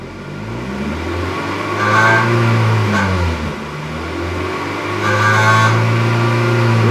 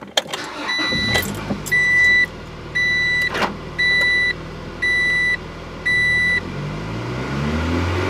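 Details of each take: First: 1997 Acura Integra GSR, free revs: buzzy metallic rattle from about 3,000 to 3,500 rpm, from the loose exhaust joint between catalytic converter and header; fixed with new flange gasket and welding. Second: 1997 Acura Integra GSR after a new header flange gasket and welding: the engine revs up smoothly and cleanly, with no tinny exhaust rattle where it used to appear between 3,000 and 3,500 rpm.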